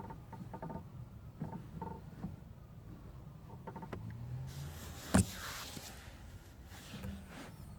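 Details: 2016 Mazda MX-5: faint short squeaky creaks as the clutch pedal moves, stick-slip where the two pedal switches touch the pedal; fix per TSB 05-003/16 is attaching two silicone pads at the contact points.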